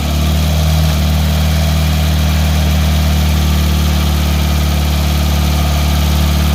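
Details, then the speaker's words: Pontiac Fiero 2.5 L Iron Duke cold start after fitting the missing bottom bolt securing the alternator bracket to the block: engine settles into steady low idle with no belt squeal. "as you can see there's no more belt wheel we have the alternator is properly secured"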